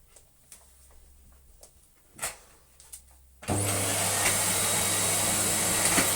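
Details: Electrolux Lite Deluxe Z1810 vacuum after refurbishment, original motor bearings regreased and oiled, before vacuuming gently: a few handling knocks, then the motor starts into a steady high rushing whine holding even pitch without rattles; normal running.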